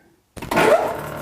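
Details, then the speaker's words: Plastic grinder after one year in use, restarted after checking for plastic chunks and tightening the foam seal: clean start settling into a steady, even whir with no clanks or scraping; running normally, a panel vibrating somewhere. "right, that sounds better. Normally if you got a chunk of metal in there, you'll definitely know it because it'll just sound horrible. This sounds about normal."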